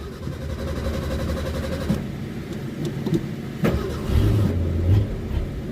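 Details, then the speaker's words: 1981 Ford Mustang with a carbureted 200 inline-six, cold start: the starter churns at a steady slow beat for several seconds before it catches and revs; owner says this is unusual and suspects the carburetor acting up. "Jeez, she is not happy today. There we go. She did not want to start. That is so weird."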